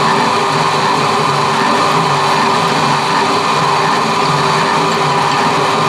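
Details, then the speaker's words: Old power hacksaw being recommissioned: steady, rough, gritty whirr with a hissy edge over the saw's running noise; the electric motor needs new bearings. "as you can probably hear, the motor needs a set of bearings in it,"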